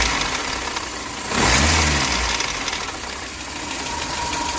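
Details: VAZ 21099 1.5 L petrol engine idling with a loose uneven knock about three per second under a harsh grinding rasp; cause unknown, owner asks for help.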